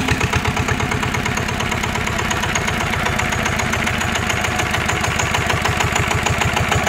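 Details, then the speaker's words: NF19 water-cooled single-cylinder diesel (original, unmodified) at steady idle: strong, evenly spaced thumps with no shaking or knocking, running smoothly and healthy. "anh em thấy đặc biệt của dòng cá này anh em nó gì chưa là nó không có rung nó không có lắc luôn á"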